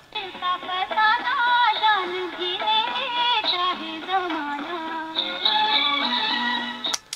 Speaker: देखा दोस्तों कितना सुरीला चल रहा है हमारा टेप रिकॉर्डर केसेसट।